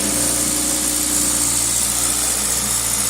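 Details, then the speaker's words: 2000 Toyota Celica GTS 2ZZ at operating temperature (90°C coolant), throttle cable disconnected: fast steady idle about 1800 rpm with no throttle, throttle position 11–12%; extra air suspected, idle air control valve suspected, not confirmed. "okay we're now up to operating temperature you can see the engine is revving pretty high no throttle the throttle cable is disconnected"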